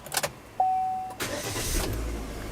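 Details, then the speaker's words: Car with a dead battery (2.2 V) started using a Milwaukee M18 JS2000 jump starter: a beep, a brief crank, then the engine fires straight into a smooth even idle. Normal engine start. "Starts perfectly, which is good. I let it run for a minute."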